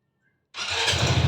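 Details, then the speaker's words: Easyride 150Fi motorcycle left unstarted for two days, checked for hard starting: silence, then the single-cylinder fires on the first push and settles into a steady, even idle; starts cleanly, no problem. "one click lang walang problema yeah sound check sound check 150 Fi natin nakang talaga ni 150 Fi yan oh"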